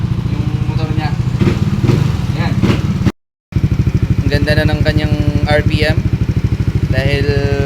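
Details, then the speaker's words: Yamaha Aerox V1 scooter after repair of misfiring, stalling and no idle (CKP replaced earlier), battery low; even, steady putter at idle with no stumbles or speed dips, running smoothly. "Wow. Goods na goods yung andar. Relax na relax na. Lubat nga lang yung battery."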